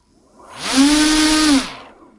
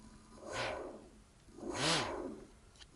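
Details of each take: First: Two brushless motors sharing one ESC on the same set of cables: whine rises to a steady high pitch, holds briefly, then winds down; slightly less power than one motor because less current reaches each. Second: Single brushless motor on the ESC, with the second motor disconnected: four short whine bursts, each sweeping up in pitch then falling back as throttle is blipped, reaching maximum; clean normal run-up.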